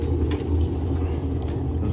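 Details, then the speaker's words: Running top-load washing machine with a bit of wobble in the tub: steady deep rumble from worn tub bearings. "those bearings are out in it all I got this one and um bearings are out of it too it's got a little bit of wobble in this this tub"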